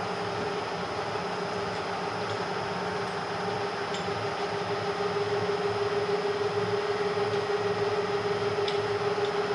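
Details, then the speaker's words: Bridgeport Series 1 2HP variable-speed J-head after repair, running around 1000 rpm: smooth, even hum with a steady mid tone and no knocks or rattles. Quieter than ever, barely audible even at 600 rpm. Normal running. "it's never been this quiet before listen to that baby purr you can't even hear this thing running at 600 where before it was good"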